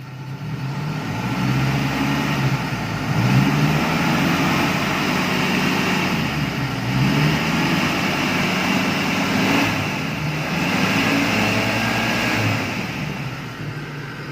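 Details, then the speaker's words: Car engine idling smoothly with a steady low rumble after repair: the earlier droning hum was traced to a bent, dented oil sump clogging the oil strainer; with the sump refitted, the humming noise is gone. "nggak ada ya suaranya hilang ya"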